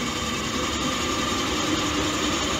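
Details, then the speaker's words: Greenheck make-up air unit in 95-plus-year-old building, restarting after apparently being untripped: steady, even rushing airflow with constant hum, no rubbing, rattling or surging; supply fan running normally. "yep there it reverses they must have untripped it good deal"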